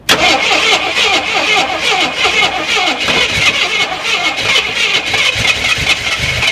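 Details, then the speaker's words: Long-sitting Jeep Cherokee Chief cranked with the gas gauge near empty and suspect old fuel: continuous even starter whirring, turning over but never firing for lack of fuel. Once fuel was added, the carburetor was seen pouring gas. "the gas gauge is working. It's saying it's about empty. Might ought to put some fuel in it."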